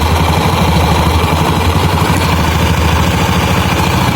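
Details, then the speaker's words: 2013 Honda Beat scooter with rough start, overheating and stalling while riding: loud low idle drone with coarse, uneven rumble from the CVT side; dry, dirty variator roller weights needing cleaning and grease. "Jadi ini tadi tuh suara itu ya, suara pendel karena kering dan kotor juga, belum dibersihin."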